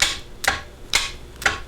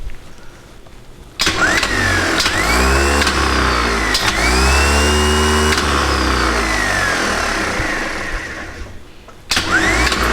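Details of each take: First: New Bosch 24 V starter on a stationary engine, battery at 25.5 V: four sharp solenoid clicks with no engagement or cranking because the battery cable is open circuit. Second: Returned new Bosch 24 V starter from a stationary engine, bench-tested open with power reapplied after inspection: it clacks in, spins up with a rising whine, runs steadily and coasts down, functioning normally with no excessive amp draw or contact heating.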